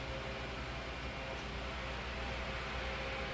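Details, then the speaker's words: 2007 Holmes 12-inch desk fan HDF-1209, cleaned and serviced, oscillating: steady, even airflow hum with no ticks, rattles or clicks as the head swings; oscillation very smooth; normal operation. "it's very smooth as well what I can see"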